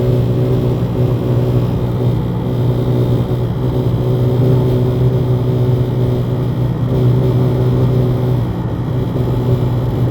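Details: 2018 Honda Accord Touring 1.5: with the radio completely off, a steady low buzzing hum inside the car that seems to come from the speakers.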